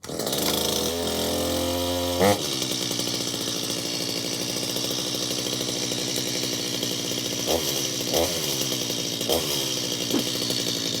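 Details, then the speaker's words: Stihl MS250 chainsaw after about 18 months in storage, cold at 67°F on full choke, needing extra pulls to prime the carburetor: pull-start rasp, then catches with a steady high buzz and throttle blips; normal cold start. "Oh man, we can see that thing uh started up very very quickly actually."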